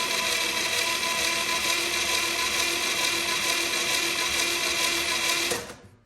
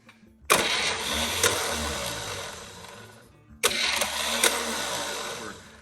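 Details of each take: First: 1963 Chevy 230 inline-6 sitting about 35 years, cranked with replacement starter and spark plugs out: strong steady even whirr about three beats a second; healthy cranking, oil filter likely filling. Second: 1963 Chevy 230 inline-6 sitting about 35 years, spark plugs out, starter jumped: two short harsh whirring, clattering bursts that die without turning the engine; Bendix not happy, starter later replaced.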